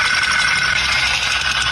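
A light, fast metallic clatter rides over the running engine, sharp and steady, which points to a broken piston pin.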